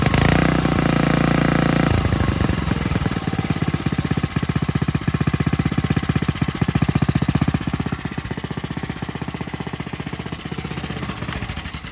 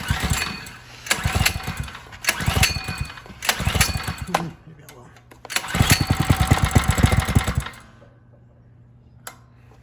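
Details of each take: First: Coleman RTK100 100cc go-kart engine: even, quick firing beat with no grinding or scraping, shown for comparison with a kart whose poorly lubricated centrifugal clutch grinds; healthy clutch, normal running. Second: Coleman RTK100 (CK100) 100cc go-kart, warm, throttle worked by hand at the lever: engine revs in rough surges then bogs down when resistance is added; factory-unlubricated dry centrifugal clutch, fixed by lubricating it.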